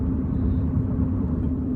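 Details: Chevy Cruze after replacing a badly roaring front wheel bearing, test drive at about 53 mph: a steady low road rumble with no growl or speed-linked hum. The front sounds quiet and healthy, with possibly slight rear wheel bearing noise.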